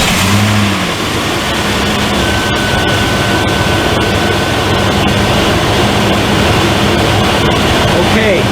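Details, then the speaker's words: 2000 Jeep Grand Cherokee 4.7 L that dies after about 7 minutes, with replaced ECM, crank and cam sensors: starts with the BCM and key and settles to a steady even idle, no misses or stalling; normal idle so far. "so far so good it started with that BCM and the key and the skin everything's good right there"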